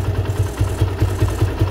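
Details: Suzuki Gixxer Monotone 155 single, idling with the cam chain tensioner cap open: steady thumping about five times a second with a faint airy hiss from air escaping the tensioner breather, stopping when covered by hand; the rubber cap prevents it.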